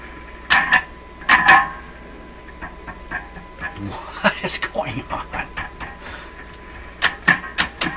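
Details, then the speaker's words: Nordmende Caruso console radio with intermittent trouble: irregular twangy crashes through the speaker whenever the chassis is disturbed, heard as the reverb spring inside; the switch mechanism itself is then suspected. "looks like you can hear the spring the spring inside"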